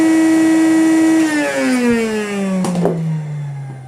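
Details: 1989 Hoover Commercial C2450 vacuum, first power-up after being found in poor condition: a clean, steady motor whine that winds down smoothly in pitch with no grinding or rattle; the motor sounds healthy.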